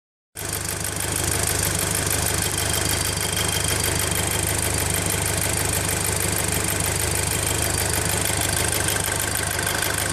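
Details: VW Golf GTI Mk5 at idle just after replacing the PCV and cam follower: fast, even light ticking over the low hum, source not yet identified; engine ticking noise.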